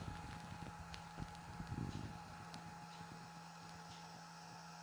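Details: Märklin 37806 locomotive motor running without sound after servicing: a faint, steady low hum with a thin whine above it and no knocks or catches, a normal even run.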